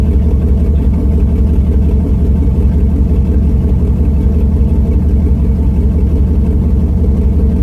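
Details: Truck with new headers, muffler removed leaving a straight pipe from the cat, small exhaust leak still suspected: deep, loud, steady rumble with a fast even pulse; sounds good and not as loud as expected.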